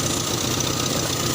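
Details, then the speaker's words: Toyota Kijang after alternator wiring repair; engine started, charge warning lamp goes out while running, indicating normal alternator charging; short stretch of smooth even idle with steady hum, no knocks or odd noises. "Hai lampu pengisian mati temen-temen jika posisi mesin hidup lampunya mati bertanda pengisian normal"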